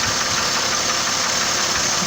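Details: 2006 Chevrolet Trailblazer 4.2 Vortec at idle: a dull, repeating knock under a hissy engine note. Owner first thought a bearing, maybe cylinder five or six; source undiagnosed.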